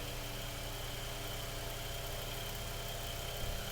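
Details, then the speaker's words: Mainstays 9-inch high velocity fan after cleaning, oiling and blade balancing, running on high in a room below 30; steady low motor hum with even air hiss, no ticking, rubbing or wobble; normal running. "all right built up some speed so it's good enough for the test"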